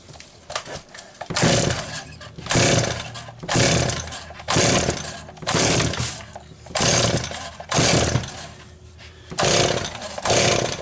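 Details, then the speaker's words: Stihl 026 chainsaw on its test run after crankshaft seal replacement, worn sprocket still fitted: repeated pull-cord rasps about once a second, engine spins but never fires; cranks but will not start, owner wonders if it flooded. "Yeah, something's not right. That should have fired already. Yep, that's not right."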